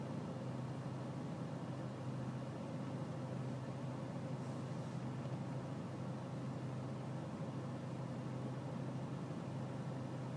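Steady low diesel idle with a slightly lumpy, uneven pulse and no other noise around; rough idle, cause unknown.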